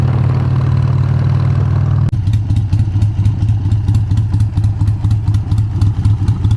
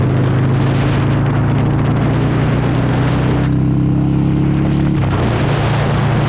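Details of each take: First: Harley-Davidson with CV carburetor after tuning on the stand and a ride: loud lumpy V-twin, uneven pulses with spitting and sputtering when rolling into the throttle; hesitation on roll-on not fixed, struggles leaving from stops. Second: Older Harley-Davidson V-twin with a CV carburetor, mixture screw turned out because it was suspected lean, on a road ride: a deep pull rising smoothly with no stumble, more power and response; normal running under acceleration, though it then dies.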